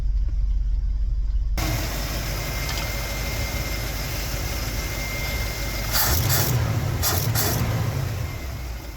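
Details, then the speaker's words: Ford FE V8 in a 1964 Galaxie, first start after sitting for years: steady, even idle with a smooth low rumble, no knocks or misses. Accelerator pump works, and it runs well after sitting. "it runs pretty good seemingly after sitting so long accelerator pumps good it's just nothing like a good old Fe I tell you what"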